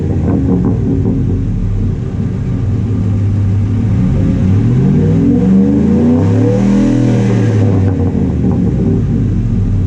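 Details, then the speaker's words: 2005 Ford F-150 with newly installed Spectre cold air intake, microphone down by the exhaust: deep exhaust rumble climbs smoothly through a rev and falls back cleanly, no misfires or knocks; sounds deeper, healthy revving. "So yeah, sounds a little deeper, you know, it's got some crackers to it."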